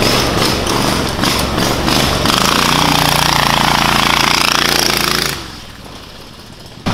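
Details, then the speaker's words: Predator 670cc engine in a Yerfdog Spiderbox go-kart, fitted with a governor spring of more than double the tension: loud steady roar held near 3600 rpm like a normal Predator, then a sharp drop-off. Before the spring it reached barely 2000 rpm. "the governor still kicks in but it holds it around like probably 3600 RPMs like a normal Predator should"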